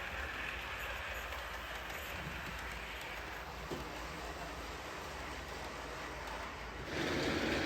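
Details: OO gauge Schools locomotive after its bent drawbar coupling was re-attached, pulling coaches on a model railway: steady, even rolling rumble and light rail hiss with no catching or stalling; running normally.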